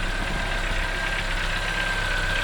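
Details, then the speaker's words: Cold-start ticking on a 2014 Chevrolet Onix LTZ 1.4: faint light tapping from the engine top end at cold idle, mornings or whenever cold, stopping once warm; others suggest the canister purge valve, owner suspects something internal to the engine, cause unconfirmed. "O carro tá gelado pela manhã, ou durante o dia assim mesmo, quando ele tá gelado liga, ele faz esse barulho batendo bem aqui, ó."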